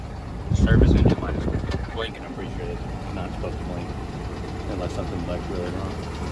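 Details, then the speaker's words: 2001 Oldsmobile Bravada, Copart auction purchase, AC on, oil pressure about 40: loud start-up surge, then uneven, lumpy idle with irregular low thump and engine vibration felt in the cab; rough idle. "Does it feel okay? No, it's got a vibration. Yeah, the engine's vibrating in here."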